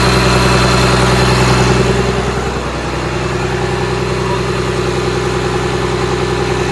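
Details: Komatsu SAA6D114E3 diesel in a PC300-8 excavator, during an overhaul: even, regular diesel clatter at steady speed with a deep, smooth rumble and no knocks or misses; a healthy engine.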